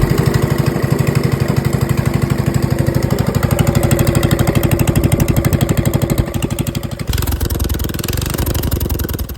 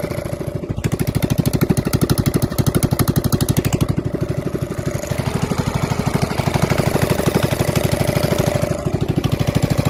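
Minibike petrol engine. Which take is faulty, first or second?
first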